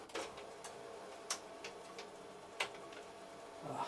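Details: Epson EcoTank ET-16600 A3 automatic document feeder after repair of a small-gear fault: sparse light clicks and soft ticks while feeding, with no grinding or chatter; normal feed.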